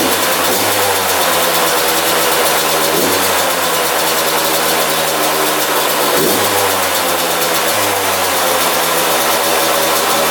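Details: 2001 Yamaha YZ125 two-stroke after top-end rebuild, new pipe, cleaned carb: fast buzzing idle between quick throttle blips, won't settle lower; owner thinks air leaks past extremely loose intake manifold bolts.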